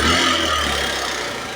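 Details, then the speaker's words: Suzuki GD110 motorcycle after multiple repairs and an oil change, ready for pickup: even, steady idle that eases off slightly, no knocking, tapping or rattle; noisy when it arrived, now quiet, normal idle. "Ayan, goods na mga paps. Tahimik na. Nung dumating to dito, maingay. Tahimik na, goods na."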